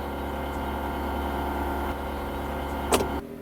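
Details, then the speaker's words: UAZ Patriot auxiliary heater circulation pump, alternately on a Longfei rubber damper and on the stock rigid mount: a steady low electric drone with fine tones above it. Solidly bolted, the hum carries through the body; on the damper it is quieter. "Вот сейчас вот работает мотор, который уже на демпфере. Выключаем. Сейчас работает мотор, который на штатный, без демпфера."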